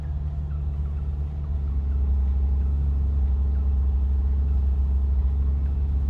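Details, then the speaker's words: 1979 Opel Monza series 1 barn find, just revived and idling a bit high: steady smooth rumble with a faint quick puffing tick from a slight exhaust leak, no misfire heard. "Slight exhaust leak. Let's give her a little blip."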